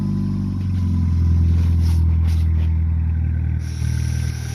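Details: Neon with a no-start and clicking caused by a corroded battery terminal connection, now cleaned. The engine catches and revs up cleanly, rising and settling evenly with no misses. Normal revving.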